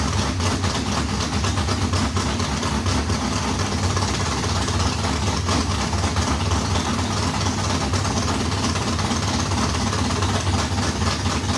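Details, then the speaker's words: Race modified V8 first start after months of work, fuel pump fitted: loud lumpy idle holding steady, no misses, knocks or stumbles; runs normally, water pump gasket leaking on passenger side. "well how about that it runs bad news is I can tell I got to pull the water pump back off cuz uh got that gasket on the pasture side is leaking"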